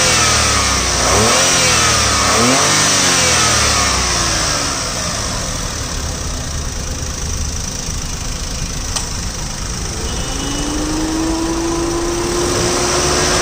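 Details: 2012 Alto K10 small petrol engine blipped through a couple of quick revs, then settling to a steady run with an even, unexplained roughness; engine noise, cause unclear.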